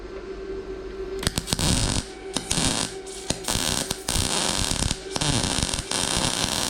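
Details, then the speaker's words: Bestarc MIG145 welder used by a first-time welder: steady, even crackle like frying bacon with no pulsing or popping, indicating correct torch distance and a good MIG arc. "You hear how it's it sounds like frying bacon? >> Yep. And it's not too far away."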